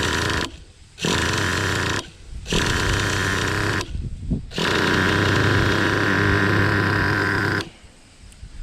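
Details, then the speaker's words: Traxxas Revo 3.3 nitro engine after leaning the idle mixture slightly from rich and backing down the idle speed: a buzzy, low, steady idle with no stumbling or bogging. Relaxed normal idle. "So now the final adjustment, I've backed my idle speed down to where you hear it idling, which is really nice. Nice, what you'd call a relaxed idle."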